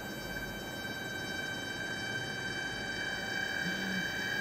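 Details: Cheap eBay DC PWM dimmer under load: steady high-pitched whine around 1.6 kHz over quiet fan hum, constant pitch; switching noise from the PWM controller.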